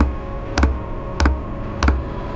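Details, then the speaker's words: RV diesel heater on 12 volts, priming on its fourth start attempt: steady low fuel-pump tick about every 0.6 seconds over a soft hum, normal, which takes a while to begin. Air bubbles are visible in the fuel line before it ignites. "First turn it on. Does take a while for the pump to start ticking away."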